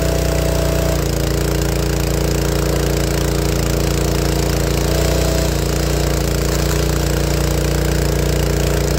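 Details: Honda GX160 on a log splitter, air cleaner replaced, recorded cold: loud fairly steady running with occasional stumbles, pops and coughs; problem worsens after warm-up and kills the engine; dirty carburettor suspected, not confirmed.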